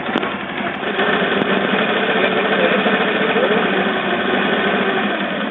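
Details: Motorcycle run out of oil, refilled yet still rough, mic placed near engine: dry, uneven "kletek" clatter at idle from scored piston slapping; white smoke when revved.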